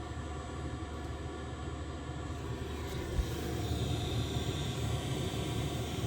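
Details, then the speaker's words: Diesel heater that threw E08, running at half power, not fully ramped up, burner and fuel pump going with heat coming through: steady low combustion roar, even fan hum, no misfire or surging; normal part-output running. "Yeah, there's heat. Not a lot yet, but it's not ramped up fully yet. So we can see it's only half powered up."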